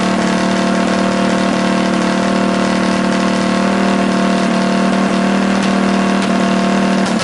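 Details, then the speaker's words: Rebuilt Tillotson 212cc mini bike engine from a Mega Moto 212, with PZ22 carb and Tillotson 225 RS race cam, after rebuild: fast, slightly uneven idle thumping about three beats a second; the carb idle needs a slight adjustment. "all right I think we need to adjust the carb or the uh the idle just a little bit there"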